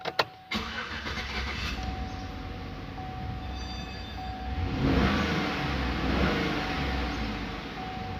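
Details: GMC Yukon with DTC P0335 crankshaft sensor code, rough idle, dying and RPM not rising, after ECM programming and key relearn: starter cranks briefly, engine catches and settles into a steady idle with a mild rise. Sounds healthy, normal start.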